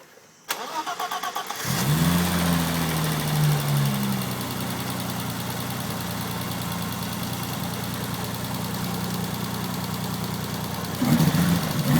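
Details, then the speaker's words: BMW E30 race car, cold start after sitting a couple of days: cranks briefly, catches and settles to a steady idle with a slight cold stumble early on, which the seller says it always does cold; otherwise strong and even. "Always stutters a little bit when cold. Once it's warmed through, I'll do another video so you can see it being revved properly."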